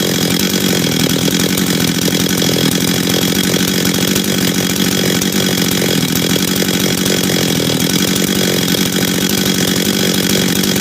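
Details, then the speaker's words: Husqvarna 385 chainsaw, first start after reassembly, first heat cycles: loud, steady high buzz holding even without surging or missing; starts and restarts easy, throttle response good, idle good, chain brake works — normal running. "he all right um starts restarts easy throttle response is good idle's good chain brake Works"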